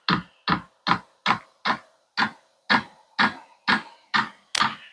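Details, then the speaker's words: Vevor diesel heater at first startup, microphone sitting on top of the fuel tank: sharp even clicks about twice a second as the fuel pump begins pumping fuel into the line before combustion, normal. "there it goes the fu pump is starting to click you can hear that I'm sure with the microphone sitting on top of the gas"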